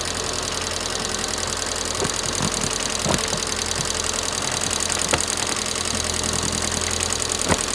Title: Стук гидрокомпенсаторов мотора 21124